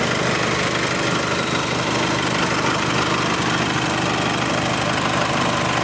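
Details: 2009 Nissan Navara 4-door pickup, 2.5 diesel, 6-speed manual, at idle: steady diesel clatter with an even, light knock of about three a second and no misses; a sound idle.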